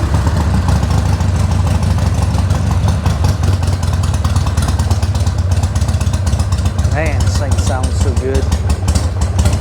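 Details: Harley-Davidson 1200 Sportster just re-jetted without removing the carburetor, started on choke. Loud, deep V-twin idle with a steady loping beat, no misses or stumbles; normal idle.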